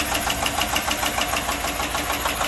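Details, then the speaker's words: Chevy Avalanche 5.3 AFM/DOD after lifter release trick: lumpy, uneven idle with sharp ticking knock and a skip in firing; runs rough, owner suspects bad lifters, unconfirmed. "Yeah, she's still noisy. It does have a little skip to it. Oh yeah, she sounds like junk. She is pretty rough."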